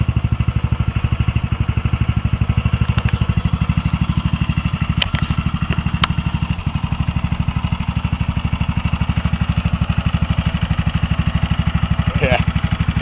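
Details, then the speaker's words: Mini bike small engine idling with new homemade six-chamber muffler: steady idle with a light regular tick on the exhaust beat; owner suspects excessive valve clearance. Cause not confirmed. "hear the tick of the motor now i think one of the valves got too much gap in between them but it works okay"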